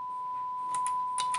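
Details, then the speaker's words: Sony STR-GX80ES receiver after extensive component replacement, with a 1 kHz generator test signal: the tone stays clean through each soft selector click, with no pops or crackle; input switching works properly. "łączymy sobie sygnał testowy jeden kilohertz nie słychać żadnego przełączania kropeczka działa także"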